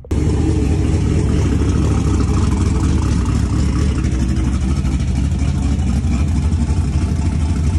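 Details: V8 in a turbocharged car, after swapped wiring pins, back on eight cylinders: strong, even roar with no stumble or skipped beats; normal running.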